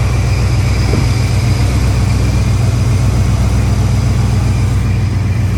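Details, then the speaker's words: Chevrolet Monte Carlo SS V8 with Quadrajet carburetor, first start after over 10 years sitting, idling without throttle: loud, deep, raw chuffing rumble with little muffling. The exhaust is leaking, probably from the mufflers. "you hear exhaust is leaking it looks like it's probably coming out of the mufflers"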